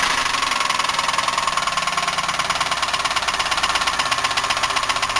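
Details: 1990 Buick LeSabre 3800, unknown mileage, idling with valve covers off; sharp rapid even ticking-knock clattering throughout, blowing smoke, misfire on one cylinder before an ignition pack swap; bearing, lifter or rod suspected, not confirmed; owner considers engine trashed.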